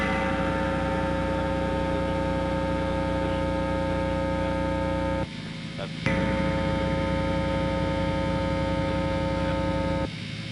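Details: Harley Benton TE-80 guitar with single-coil pickups, unshielded before copper tape shielding: loud steady low mains buzz with even overtones persisting through pickup switching, hum from missing shielding.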